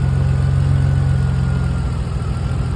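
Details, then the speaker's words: Drift car idling after winter sitting, ignition coils unplugged one at a time to check: uneven lumpy pulse about four times a second as one cylinder drops out; water and rust found on a coil, suspected breakdown cause. "so I'm just checking through all these and you can hear the noise in the engine when you plug them out"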